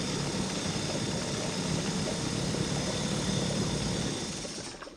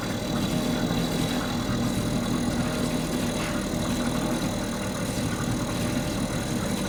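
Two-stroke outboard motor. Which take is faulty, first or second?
first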